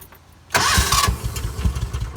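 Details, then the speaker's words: Kawasaki Mule 610 in neutral after replacing the dying starter: brisk, even cranking with quick compression pulses and no drag, fastest it has ever spun over; the old starter turned slowly, dragging and sounding burnt. Normal starter cranking. "Oh, that is the fastest it's ever spun over."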